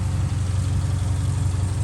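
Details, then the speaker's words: Subaru 2.5 SOHC flat-four boxer, a replacement engine in an AWD five-speed after the old one locked up from low oil, idling with a steady, even low rumble and no knocks or ticks. It runs cleanly. "this is pretty neat sounds good"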